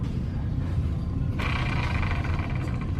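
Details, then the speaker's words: Honda Civic EK hatch with K20 turbo swap, idler pulley removed from the engine and spun: a gritty, rasping whir starts suddenly and fades over low shop rumble; the worn idler pulley bearing was the engine's noise source. "and of course the idler pulley makes noise, so I'm going to pull one of those up and see which one it is that's making the noise. It was pretty distinctive, so pretty sure it was an idler pulley."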